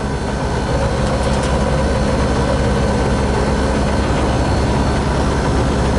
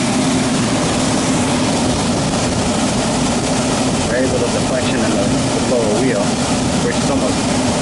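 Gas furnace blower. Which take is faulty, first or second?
first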